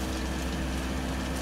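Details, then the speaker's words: Planar air heater on PU-05 controller, just switched off: fuel pump stops and the fan speeds up, a steady, even hum and low constant drone with no pump ticking while cooling the unit; normal cool-down. "press the middle button you'll hear that the fuel pump went off and then it will increase the fan because what it's trying to do is call this unit down here"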